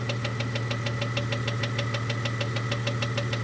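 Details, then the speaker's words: 1998 Jeep Cherokee XJ 4.0L idling after lifter replacement, noise appeared overnight: steady light tick about three per second, changing only with rpm, not load; owner thinks it runs at half crank speed, so cam or valvetrain related. "this doesn't change it only changes with RPMs it's to my ear sounds like it's at half the speed of the Revolutions of the crank that means it's cam related to me"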